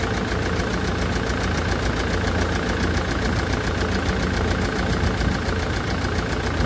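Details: Land Rover Defender Puma 2.4 TDCi diesel after rebuild (new wiring loom and oil pump), idling during coolant fill and bleed in cold weather; an even clatter of about two ticks a second over a low steady rumble, no knocks.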